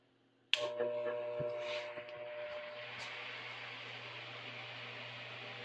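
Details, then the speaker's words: Likely a mid-1950s Superior Electric oscillating fan, owned probably 40-plus years: switch click, then steady low motor hum and even airy whoosh, no rattles or scraping; fan runs well. "And so now let's just we'll turn it on and we'll see how it works. It works pretty good."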